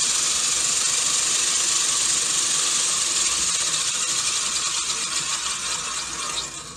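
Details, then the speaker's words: Gardena manual push reel mower being backlapped with a drill spinning the reel backwards and 120-grit compound: an even, hissing scrape with no single blade knocking; the reel contacts the bedknife evenly. "as it turns you can hear it's pretty pretty smooth even turn you don't hear one of the blades knocking and the rest being smooth it sounds good this one's lapping up nicely"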